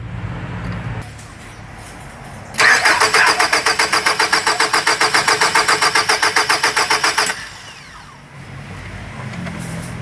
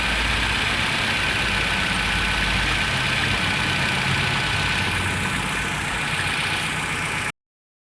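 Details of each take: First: 2003 Nissan X-Trail QR20DE, code P0335: starter cranks steadily about four pulses a second for nearly five seconds without firing, then stops; crank no start caused by crankshaft position sensor fault. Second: 2003 Nissan X-Trail QR20DE after crank-no-start (code P0335, crankshaft position sensor) was solved: steady even idle, smooth unbroken beat, no misses, knocks or ticks, settles and holds speed; normal idle.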